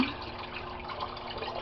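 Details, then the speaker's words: Aquaponics grow bed bell siphon at end of drain: rushing water slowing with hollow gurgles as air is drawn in, then flow stops; siphon breaking normally before the cycle restarts. "You'll see the water coming out of the pipe will slow down to a trickle, and then you'll hear a gurgling sound and it'll stop. And then the cycle will start over again. And there's the gurgle, and one more, and that stops the siphon,"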